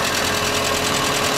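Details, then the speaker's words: Kia Rio after stiff clutch pedal job: loud, tinny rattle rides constantly over the idle with no letup, more rattles than a millionaire's baby; engine rattle at idle. "Listen to the engine. Oh, listen to that. More rattles than a millionaire's baby."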